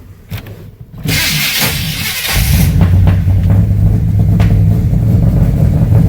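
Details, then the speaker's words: 1990 or 1991 Chevy C1500 after unsuccessful fixes incl. temperature sensor plugged in; catches into lumpy, uneven idle with irregular low thump about four per second, runs terrible; owner suspects ignition timing, not confirmed. "So, none of that worked, and the truck runs terrible now."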